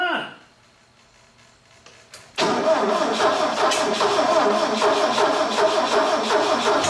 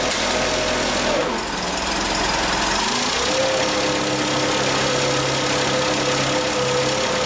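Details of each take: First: Bobcat 632 engine just rebuilt with a new piston and rings, run briefly without coolant: it cranks, catches and runs roughly with uneven chuffing near three a second; ignition timing off, the distributor cap was found 180 degrees out. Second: Bobcat 632 engine after the blow-by repair with new piston and rings fitted and reassembled: it catches after a brief crank and settles into a steady, even idle with no ticking, puffing or misfire; runs sound.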